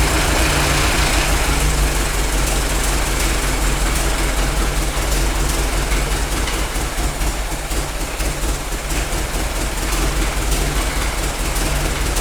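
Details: Worn-out Ford Model T engine on a PTO power unit, run briefly with no coolant: heavy low rumble with a loose, uneven clattery beat around two per second; runs, smoother after warm-up and mixture adjustment, but still noisy.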